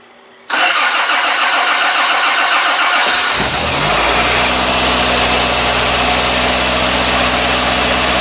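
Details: 60-year-old Triumph TR3A, out of storage, float bowls primed with the original pump's priming lever, choke on, in neutral: starter cranks about two and a half seconds, then the engine catches cleanly and settles into a steady, even idle; healthy start.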